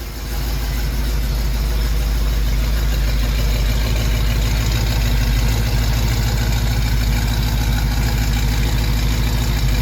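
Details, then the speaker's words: 1974 AMC Javelin after an oil spill from a suspected driver's-side valve cover leak was cleaned up, now burning off the spilled oil: steady, even low rumble at a decent idle, no misses or surging; normal idle. "so I'm going to take the camera around so we can listen to this thing finally got it at a decent Idol"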